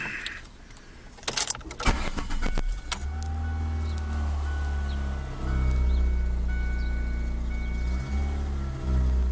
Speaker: I've got a 2003 Ford Focus LX sedan and it's making a very loud rumbling noise almost like it's a lawnmower